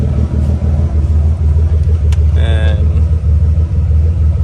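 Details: Car idling for about 30 minutes after a fuel pump control module bypass, checking whether the ground wire heats up; it stays cool. Low, steady idle with an even rumble and no knocks, misses or surges; the engine runs smoothly and healthy.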